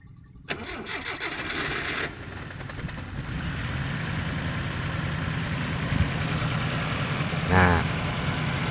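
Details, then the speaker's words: Toyota Corona petrol engine with limping-engine complaint, started with hood open: cranks, catches and settles into uneven, limping idle; suspected dead cylinder, spark plug wires being pulled to find it. "Ini terjadi keluhan mesin pincang, teman-teman ya."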